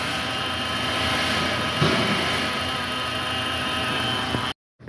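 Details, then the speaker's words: Customer-reported engine noise: the running engine makes a steady hissy whir with faint thin tones. The belt tensioner showed play and was worn. A new tensioner and belt cured the noise. "definitely a noise sounds like that tensioner to me"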